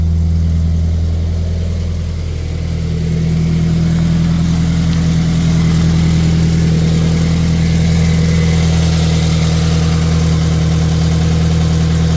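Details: Scion FR-S (GT86/BRZ) boxer right after installing an equal-length header, started to check for exhaust leaks: even, steady idle with a smooth low drone, no ticking or puffing; exhaust sounds sealed, normal idle.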